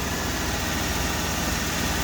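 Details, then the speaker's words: 1997 Ford F Super Duty 4x2 with 460 (5.7L) V8, unused since 2015: starts right up, deep steady idle burble, even firing, no knocks or misses; imperfect exhaust repair leaves extra rasp, slightly loud exhaust. "Starts right up. Truck sounds good. He tried to fix the exhaust and didn't do it perfectly, so it's still a little loud."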